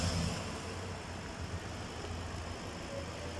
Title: Ford expedition misfiring